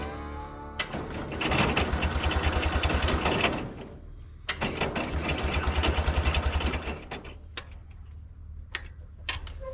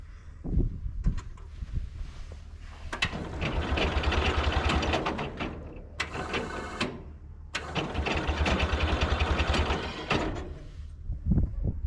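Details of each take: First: International Cub Lowboy 154 after coil, points and condenser replacement: starter churns about three and a half beats a second in two long bursts with no firing; no spark because distributor rotor was left out. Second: International Cub Lowboy 154 after coil, points and condenser replacement and refitting forgotten distributor rotor: cranking bursts, then engine catches and runs unevenly with loud surges before settling; ignition firing, normal start and idle.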